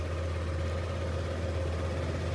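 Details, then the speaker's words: Yamaha NMAX with the indicator light staying on: a steady, even idle that sits noticeably fast and never settles lower. The idle revs are held too high, before a diagnostic scan of the sensors and idle control valve. "Dan kalau dihidupkan itu idelnya cepat bisa kita dengarkan mesinnya ya ini"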